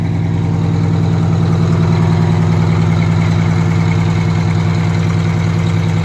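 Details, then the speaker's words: Detroit Diesel 92 series two-stroke, sat 20 years, in a bus after first start, pedal taken to full throttle at governor on cold oil: deep, steady drone, even smooth firing, no knocks; healthy. "going to test for Full Throttle with the pedal yeah that's all now it goes further than that [Music] he's going to take it up to the governor"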